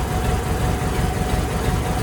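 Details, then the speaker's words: 1946 Ford 2N tractor just re-ringed, running with the radiator disconnected: loud rough low idle with chuffing, uneven throb; serious blow-by and lots of smoke, later judged steam from the head, with oil pressure present and idle still high. "Oh, that's smoke coming from. That's a lot of smoke. Huh. We got oil pressure though. I saw oil pressure. Serious blow-by."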